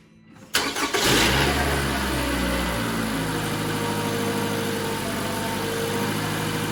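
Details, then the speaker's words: 2017 Toyota RAV4 first start after new spark plugs installed: cranks, catches quickly and settles into a steady, even idle with no misfire or stumble; running smooth, normal idle. "Running smooth. There you go. That's all there is to it."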